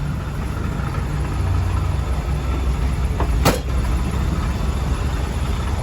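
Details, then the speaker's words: Warm start on a 1979 Hurst/Oldsmobile Cutlass W-30 V8, hood open: steady low idle rumble with a faint knock riding on top; engine knock at idle, source not pinned down. "for anybody that's unfamiliar that lovely knocking sound is courtesy"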